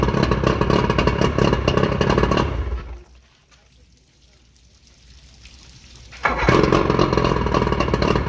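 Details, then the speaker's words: Johnson short-shaft 40 hp outboard, believed 1987, after full maintenance, driveway test on water hose; even two-stroke burble cuts out with keys dropped, restarts promptly and settles to steady, slightly fast idle; normal idle, slightly high. "So this thing turned out to be a pretty good motor. I think it has a lot of life left in it, and I think whoever winds up with it will probably appreciate it."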